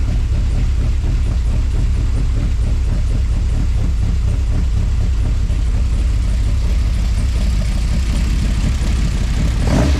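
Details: Project Zero 24 after fixing lean fuel starvation by replacing the external pump/filter with a Holley drop-in pump and cleaning the tank: deep steady low rumble with no knocks, misses or surges; even, healthy idle.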